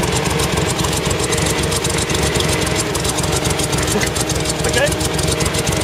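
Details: CVR(T) Striker FV102 Swingfire tank, August 2010: rough, uneven idle with irregular chuffs and stumbles breaking the rhythm; misfiring badly, caused by a stuck valve; engine later replaced.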